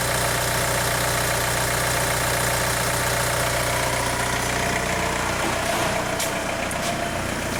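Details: 2002 VW Beetle 1.9 TDI ALH after an injection quantity adaptation was stored in software: steady, even diesel idle clatter with no shudder or stumble; the slow-down shudder is fixed.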